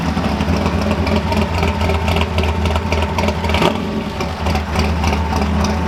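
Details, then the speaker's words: Cold start of a freshly installed V8 engine in a Ford F100: hollow, light rapping knock under the exhaust note at idle; piston slap that happens when cold, otherwise running fine. "So you'll hear piston slapping a little bit. Happens when it's cold. Other than that, it seems to run fine."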